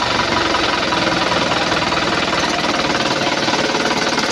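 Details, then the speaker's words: 2011 Isuzu Panther LS diesel after engine teardown for scratched pistons and oil leak, fuel primed, first start with light throttle: even idle clatter about four beats a second, no ticking; earlier tek-tek knock gone. "Mas alhamdulillah suaranya adem nih, Guys. Beda dengan kemarin ya."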